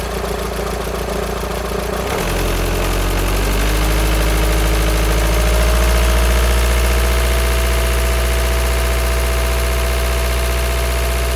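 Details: VW Sharan 2.0 TDI CFFB common-rail diesel, first start after timing belt, injector, fuel pump and filter work without bleeding the injectors: steady fast light rattle over diesel clatter at idle, owner suspects a bad tensioner pulley rather than the engine.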